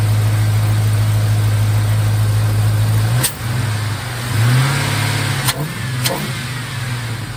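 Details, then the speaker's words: 1951 Hudson with a swapped LS 5.3 V8 at first start, oil pressure about 40 psi at idle, running on its tables with no MAF sensor connected and power steering working: smooth, deep idle that stays even through light throttle blips; normal. "power steering works good sounds good she's running just like it was in the Escalade fantastic"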